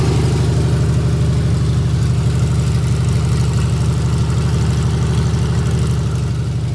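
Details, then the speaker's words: Freshly rebuilt 1977 Toyota 2F engine (new rings, bearings, head shaved 0.40, new carb, headers) in a 1982 FJ45 pickup, held at 1,500 rpm for 15-minute break-in: smooth, even fast idle, steady low pulse, no knocks or ticks; normal. "I've also got one of these RPM gauge so that we can get the engine up to 1,500 rpm about 15 minutes so we're gonna fire it up break everything in"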